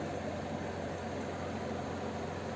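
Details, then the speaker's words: Kent RO Grand Plus water purifier after resetting its one-year alarm timer: steady, even low pump motor hum with no beeping, UV tube lit; running normally after the fix. "आराम से, कोई beep beep का sound नहीं है, वहाँ पे भी on है।"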